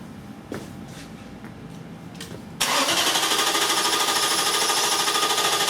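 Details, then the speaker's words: 2002 Infiniti Q45 4.5L coil-on-plug with crank-no-start, no spark and code P0335: steady cranking about three turns a second with no firing. The scope shows no square wave on the 9.9 V signal, so the crankshaft position sensor failed. "Okay, good. We had a drop in voltage. System voltage drops, of course, when you crank it. No square wave at all."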